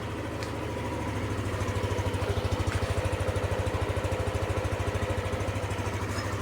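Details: Yamaha NMAX v2 scooter that wouldn't start with a check-engine light after refuelling (owner suspects diesel was pumped), now fixed: even, regular idle pulse of about two and a half beats per second, steady with no knocks or misses; healthy idle.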